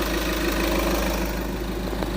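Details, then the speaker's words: Golf 6 with an accessory noise, suspected to be the A/C compressor pulley. With the accessory belt removed, the engine idles evenly with a smooth low hum and no squeal, chirp or rattle. This confirms the diagnosis of the A/C compressor pulley. "On a donc enlevé la croix des accessoires pour vérifier si le bruit est toujours présent. Et comme vous pouvez le constater, il n'y a plus de"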